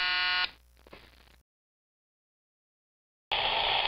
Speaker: the recording electors are not connected to any preparation so when you turn it on all you hear is an open circuit squel remind you of the World Cup